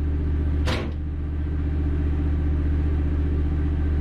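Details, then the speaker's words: Standby generator running under transfer three to one, confirming gas supply while troubleshooting a Lochinvar boiler locking out on low air; brief clatter early, then steady even low hum with constant engine note, normal running. "well the generator is running transfer three to one the transfer has been completed so we're not out of gas because that's running"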